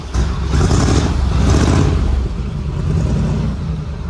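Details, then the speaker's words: 1947 Ford with Fenton manifolds and a freshly swapped T5 5-speed, first start after filling the transmission with oil: deep, smooth exhaust rumble that swells as it catches, then settles to an even, muted, quiet run. Normal, healthy exhaust note. "Finally got oil in the transmission so we can actually start it and see what this exhaust system sounds like."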